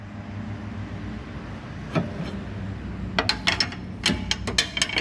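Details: Chevrolet Cruze suspension pushed down by hand, giving irregular sharp creaks and clicks under load: a suspension creak.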